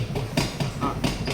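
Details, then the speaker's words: Rear wheel rocked by hand; owner reported rear wobble while driving. Dull knocks, about four a second, as the badly broken wheel bearing lets the hub clunk with excessive play; bearing replaced. "Jadi kita tukar bearing a bering. Hm. Ha tu kau dengar tup tup tup dia rapat dengan is dalam tu."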